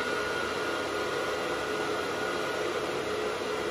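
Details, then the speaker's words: Gas boiler combustion fan during air pressure switch test (switch makes black-to-blue when fan runs): even, steady airy whoosh with faint constant whine, no rattle or wobble; fan runs smoothly. "so this fan's a little bit loud so i'm just gonna connect across here using the uh manometer"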